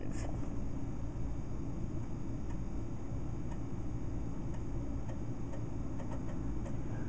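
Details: Dell Dimension 2400 booting from a floppy to update the BIOS: scattered light ticks from the floppy drive stepping over a steady fan rumble, normal seeking and reading.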